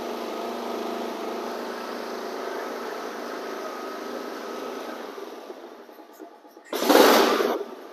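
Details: Flood-submerged Honda HRX lawn mower after cleaning and a shot of carburetor cleaner, blades removed: the single-cylinder engine fires and runs evenly for several seconds before fading out, with the carburetor now feeding it; normal running.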